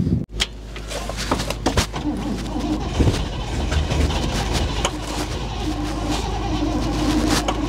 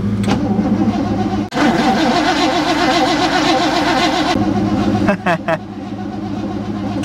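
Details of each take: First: 1960 Chevrolet Impala V8, sat for decades, first run on its own after a flooded carburetor's floats seemed to seat: low rumble at idle swelling and fading in a slow uneven surge. Cause unknown; seems to be hitting on all eight. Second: 1960 Chevrolet Impala, sat for decades, cranked on the key switch with a newly fitted battery: the starter spins it about three seconds at roughly 2.5 compressions per second, a nice healthy, even crank.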